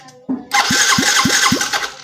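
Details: Yamaha Mio J fuel-injected scooter cranking on the starter at about four beats a second but never firing. There is no ignition spark while the fuel pump hums. The owner had wrongly blamed and replaced the coil; the real cause is a faulty pulser coil.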